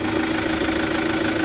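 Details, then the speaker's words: 2008 Chevrolet Captiva diesel after repair: it restarts without needing fuel priming and holds a steady idle with an even hum and no misses, knocks or hunting. Normal, smooth idle. "Nah, tenang mesinnya, suaranya halus."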